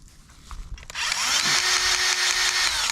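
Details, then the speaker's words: Greasing the L620 loader arm fittings on a Case IH 75C tractor: the grease gun motor spins up quickly and holds an even, steady whine with no labouring, pushing new grease through the joint normally. "there it comes all right it's coming through so we're good"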